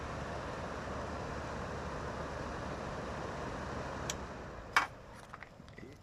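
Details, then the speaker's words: GE (Haier) air conditioner after repair of its cracked rear fan blade, which caused vibration: on low the fan spins up with a soft, even whoosh and no scraping, rattle or noise. Normal fan startup. "All that noise is gone now. So, this is the first time I've ever done this, so I'm quite happy that actually worked. Let's start it up again. No noise whatsoever."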